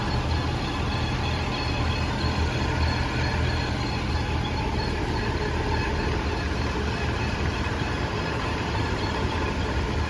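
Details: 2018 Audi A5 Quattro cruising at about 45 mph gives a faint steady whine over cabin road rumble, cancelling out at higher speed with no vibration; the driveshaft center support bearing is worn and the whole driveshaft must be replaced.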